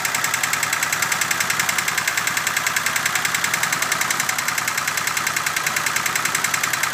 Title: Peugeot 304 bruit moteur